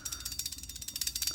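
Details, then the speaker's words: BMW S1000RR with newly installed Brembo free-floating front rotors held by C-clips, rolled by hand. A light, even ticking about eleven times a second is the floating rotor chatter, which is normal when rolling it around. "You will hear this chatter when you move it around and, like, rolling it around the parking lot in and out of your garage. You will hear this."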